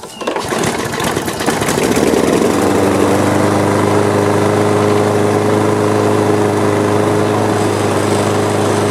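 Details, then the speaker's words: Free older Troy-Bilt mower with an OHV engine and metal carburetor, heavily carbon-fouled, run on a little gas: catches right away and holds a steady, even beat. A rattle was blamed on a loose cover. Normal running. "well it didn't sound too bad it's uh I think this cover was just rattling away take it off"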